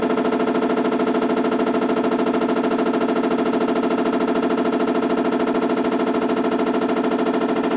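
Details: BW-D8HV washing machine: rapid, very regular banging about three times a second throughout the run; abnormal knock, cause unknown.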